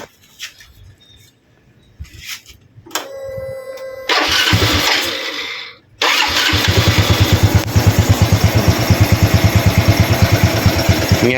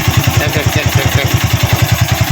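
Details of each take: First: Used Honda Wave 110i after cylinder top-end rebuild (piston replaced) for loud cam chain noise: engine starts and settles to a steady even idle, no chain rattle or ticking; normal idle. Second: Honda Wave 110i single-cylinder idling: light metallic clatter from the cylinder head, a slack cam chain from a failed tensioner, before the top end was taken apart.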